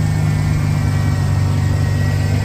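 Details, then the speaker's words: 1991 Ford Bronco V8 under restoration, timing set at 10° BTDC: smooth even low rumble but idle a touch high; owner suspects a slight vacuum leak. "I've got it pretty much set on right said that right dead on at 10° uh before top dead center um sounds pretty good uh seems to be idling just a little high"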